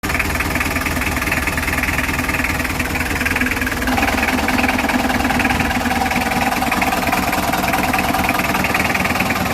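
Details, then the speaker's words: Idling car with the clutch pedal pressed. A rough snoring growl pulses about four times a second, caused by a worn clutch pressure plate diaphragm spring. The fix is replacing it with an original part. "penyebab bunyi adalah ini ya bosku matahari atau pegas diafragma ini udah aus dan udah kekar"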